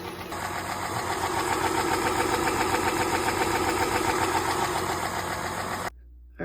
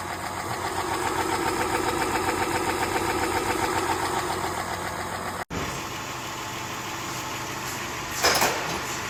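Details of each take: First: 2010 Chrysler Town and Country, 4.0L V6, before repair: loud, sharp, even ticking about 220 a minute at idle from the valvetrain lifters. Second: 2010 Chrysler Town and Country 4.0L V6 after replacing lifters and rocker assemblies for loud valve-train ticking: even, very quiet idle with steady rhythm and no lifter clatter; healthy.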